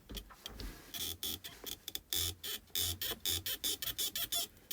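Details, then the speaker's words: Kia Spectra gear shift lever while engaging gears: short sharp high-pitched squeaks in quick bursts, dry creak; began after replacing some shifter parts, owner suspects insufficient lubrication. "такой вот неприятный скрипт это все началось после замены некоторых деталей кулисы скорее всего там недостаточно смазки"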